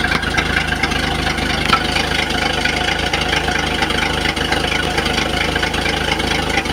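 Engine idling with a steady, fairly quick tapping riding over the running note, about two a second; a knock, cause not clear.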